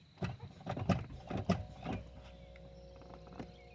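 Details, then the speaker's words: 1998–2005 Lexus GS300/400/430, brake pedal pumped repeatedly with windows down: a few soft clunks, then a steady faint electric hum as the brake booster pump motor builds pressure. "And you can hear it. Whenever you hear that noise, that means your brake booster is building up pressure."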